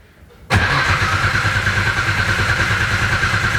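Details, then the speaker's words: RB26 engine in a Nissan S13 on a Haltech standalone ECU, first turnover: starter cranks steadily with no firing because the fuel pump clicks but doesn't prime; the standalone was likely blank and needed an RB base tune. "Nothing. Key off. Key on. It's clicking, but it's not priming."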